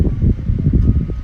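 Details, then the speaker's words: Opolar clip-on fan after cleaning: gusty, uneven rush of air over a faint steady motor hum; running normally, though airflow is actually fairly weak. "maybe you might hear the wind noise now the air is blowing like it's very powerful it actually doesn't have a lot of air"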